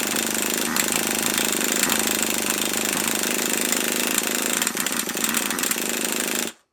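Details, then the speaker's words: HPI Savage RC truck with newly fitted HotBodies 3.5 nitro engine, first start attempts: fast, steady starter buzz with odd irregular pops that never pick up into a run; fires occasionally but won't catch yet. "it's trying can you hear it it is firing just not enough yet"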